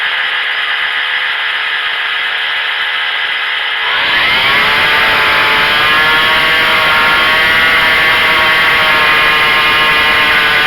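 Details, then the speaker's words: Craftsman 25cc two-stroke weed whacker, previously bogging, after carburetor adjustment. Climbs quickly to a high, steady, clean scream at maximum rpm without bogging, though the idle is set too high: normal full-throttle running. "You can hear the RPM get to the maximum, and then this idle's too high right now."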